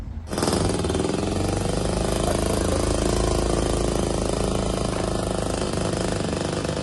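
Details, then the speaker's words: Two-stroke tuk-tuk: steady but uneven buzz, beat lurching and stumbling; runs lumpy and stalls, carb may need adjustment, cause not pinned down. "Although it does run, it runs lumpy, it stalls, it doesn't real"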